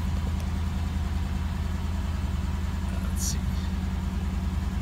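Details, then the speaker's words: 1989 Cadillac DeVille 4.5L after ECM replacement, restarted after clearing codes: steady, even low idle with a smooth regular pulse and no misses, stumbles or surging; started right away and idles better than before the repair, normal idle. "the car seems to be idling better and started up right away"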